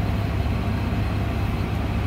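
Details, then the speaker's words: 2001 Ford F150 5.4L V8, 137,000 miles, after cleaning the idle air control valve to fix surging idle: steady, even low rumble, no surge at startup; normal idle. "two three minutes right now it's a pretty good it didn't surge when I turned it on"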